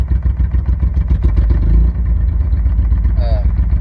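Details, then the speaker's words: 1996 Chevy S10 Blazer idling during a coolant flush. A deep, loud, raspy, unmuffled drone, because the catalytic converter is missing. The owner plans to fit a converter or a plain pipe. "but yeah she starts up i need it i need to fix that that noise i need to put a converter or just put a piece of pipe i don't know"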